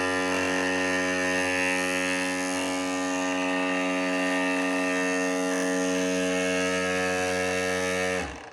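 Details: Early Matterport Pro3 camera whose VDrive lidar mirror motor may be noisier than it should be: steady, loud buzzy hum with a whining tone, then a sudden stop; suspected faulty noisy mirror motor, possibly needing service.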